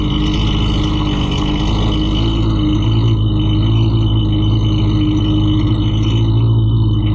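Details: Husqvarna 329L string trimmer after repair for bogging and not staying running (not the carb): small two-stroke holds a steady buzzing run without bogging or surging; sounds healthy and stable.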